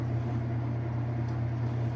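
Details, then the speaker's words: Whirlpool top-load washer with its lid switch bypassed, at max-RPM spin with the clothes balanced and level. A smooth, steady, quiet low hum with no thumping or wobble. Normal spin cycle. "Does a pretty good job spinning those clothes out. Nice, balanced, level. Nice and quiet too."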